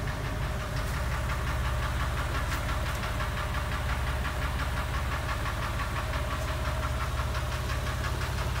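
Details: Porsche 996 3.4 idling warm in a garage: light, fairly regular ticking, about three a second, over a steady hum, absent at cold start, intermittent, quieter above 2500 rpm, louder under load; owner suspects exhaust manifold, tappet or piston slap.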